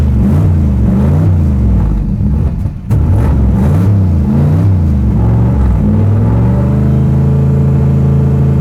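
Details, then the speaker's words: Bonemaro street/strip drag car, started after a battery voltage check via its under-floorboard theft-deterrent start: a deep choppy aggressive-cam lope at idle swells with throttle blips and settles back, rowdy but healthy. "Thing sounds rowdy. Yeah, it does."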